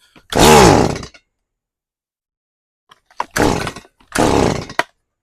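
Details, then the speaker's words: Stihl MS180C chainsaw after carburetor rebuild (was hard to start, bogged and died when cutting on its side): three quick, clean blips to full revs with no bog or stumble; revs and idles well, no adjustment needed. "But, uh, that's, uh, that sounds pretty good. It revs real good. I don't need to adjust anything. It idle idles well."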